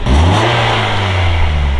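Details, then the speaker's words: Stock exhaust, revving: deep droning rev that rises and holds with a slightly raspy, pitching edge; it sounds like an exhaust leak but nothing confirms it; cause suspected, not confirmed. "It's a stock exhaust. It sounds like an exhaust leak. It does."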